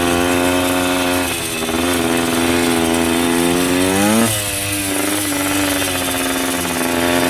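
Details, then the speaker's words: Yamaha 125 enduro two-stroke after fresh spark plug and fresh gas (earlier suspected oil fouling): crisp ringing note, pitch climbs smoothly on a blip around four seconds then settles back clean; normal healthy running. "Amazing what a little fresh gas and fresh spark plug can do. Ain't nothing sounds like a two-stroke neither."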